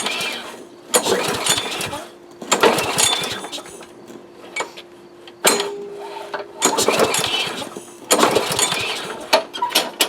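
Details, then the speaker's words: Yard Machines Gold Series MTD mower during dry compression test: repeated loose pull-cord cranks without firing; compression only about 30–40 PSI, very low. "wow that's low just over 30 about 40 PSI that is very low"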